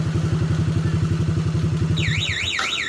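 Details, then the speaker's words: Motorcycle with a relay-free alarm fitted, idling evenly. The remote is pressed, a rising-falling warbling siren starts and the engine dies. The alarm remote cuts off the running engine. "motor Ini dibawa orang pada saat hidup kita tekan dari rumah motor akan mati"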